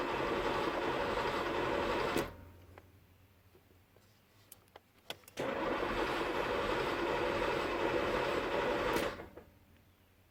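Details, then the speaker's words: Chevrolet Camaro IROC-Z with newly installed fuel pump, in neutral: two bursts of steady starter cranking that never catch, no fuel pump hum heard; cranks but won't start. Owner suspects a bad fuel pump relay or home-made wiring. "and I still don't hear the fuel pump"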